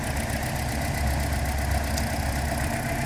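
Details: 2012 Toyota Corolla running rough with no codes (P0300 misfire): low, lumpy, uneven idle with one dead cylinder.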